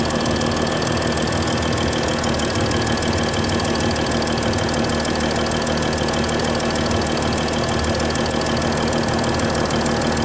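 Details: Mercedes S-Class 320 at idle: sharp, fast chuffing tick, about three per second. A bad injector nozzle gasket letting combustion gas escape.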